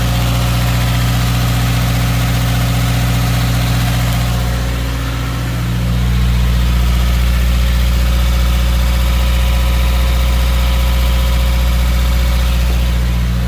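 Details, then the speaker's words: Subaru WRX 2.0 first start-up after replacing all valve shims, oil primed by cranking; low, even idle rumble holding a steady beat with no ticking or tapping from valvetrain; healthy normal idle. "let's go crank her up a couple times on and off and let's keep it idle for a bit"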